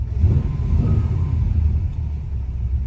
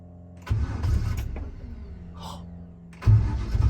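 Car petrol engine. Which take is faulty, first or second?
second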